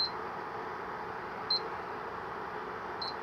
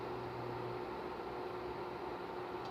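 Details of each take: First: Opened Electrolux ICP30 induction cooktop (127 V) showing no error. A single high beep repeats about every 1.5 s even with an iron plate, with no coil hum and no heating. Suspected open 135 °C thermal fuse. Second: Opened Electrolux ICP30 induction cooktop (6300 W, 127 V) at power level 1 with an iron plate. A low steady hum over fan hiss cuts off in under a second as the coil cycles on and off; the field is generated normally.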